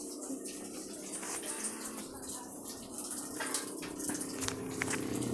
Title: My refrigerator making noises